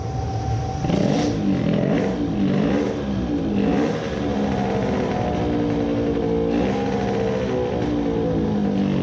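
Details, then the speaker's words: Two-stroke moped with new racing carburettor fitted, size 40 idle jet: rough unsteady low revs hunting up and down, blips stumbling; sounds lean, rpm floating, richening air screw tried (choke was on); incorrect jetting. "sounds lean. the rpm is floating trying if richening the air screw helps"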